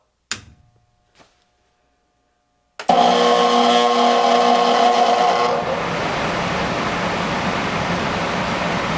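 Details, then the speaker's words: Furnace blower motor bench-tested out of the furnace: after a click it spins up with a whirring drone and a rough, uneven grumble. The fan has always wobbled, but there is less vibration than before disassembly; the motor is worn and will be replaced. "yeah still makes that annoying noise but I think we're good to shove this baby back in there"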